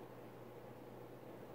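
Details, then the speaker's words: Emerson 1895 Series 52" ceiling fan CF4352PB04, KB-55 stack motor, mid-late 80s, on high speed: quiet steady low hum under air rush, more motor hum than expected for a stack motor; motor hum. "this fin does make a bit more motor hum than my old one did which is weird because this is a stack motor and stack motors typically don't make that"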